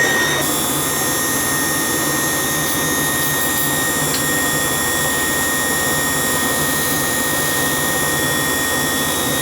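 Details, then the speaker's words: Gas hot-air furnace that would not run, with oil and bird debris found. The draft inducer motor makes a steady high-pitched whine of constant pitch over an even motor hum. A fan-only test confirmed the inducer motor, not the blower fan, is whining. "oh that definitely that motor it's definitely that motor that's making the whining noise it's not the fan"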